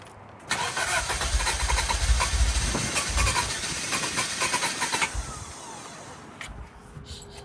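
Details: Toyota Celica after head gasket and timing belt job: starter spins the engine at an even two or three beats a second for about four seconds without catching; crank no start from incorrect ignition timing.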